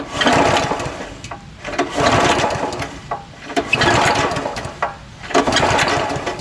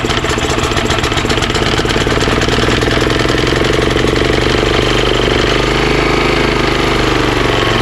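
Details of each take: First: Honda GX340 11HP pressure washer engine, just unseized and water drained from it, recoil pulled by hand: repeated rasping rope pulls every two seconds, each with a compression bump; turns over freely, easy to pull with some compression, possibly a compression release. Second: Honda GX340 11HP pressure washer engine, previously seized, carburetor leaking at JB Weld repair, started on choke: single cylinder runs steady with slight rise and fall in speed; idle surging, likely carburetor not completely clean.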